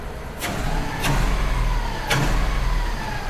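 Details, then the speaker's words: 3UZ V8 swapped into Subaru BRZ on Haltech ECU, morning cold start: lumpy, shaky idle with stumbling beat; three cylinders misfiring (two one bank, one other) from coils not firing; a bearing squeal also present. "It is like running like dog You can see the motor shaking and everything. So, yeah, that's what we're dealing with."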